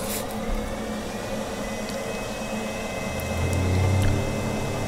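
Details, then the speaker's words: Dzhileks Vodomet 55/35 submersible well pump on cheap HY-2 inverter pressure controller replacing relay: quiet, then low pump hum comes up gently with no bang as faucet opens, RPM tracking faucet opening, stopping smoothly; healthy soft start. "You can hear the sound of the pump. It adjusts the RPMs depending on how much the faucet's open. Closing the faucet. It stops smoothly."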